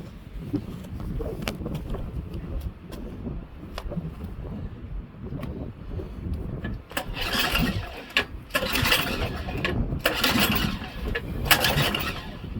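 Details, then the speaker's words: Auction Craftsman Series 2 snowblower, single-cylinder with points ignition: repeated pull-cord rips with no firing at all; crank no start, no spark, possibly from a coil wire grounding out. "stupid me if that wire looked like that and it was grounding out on here we lose our spark"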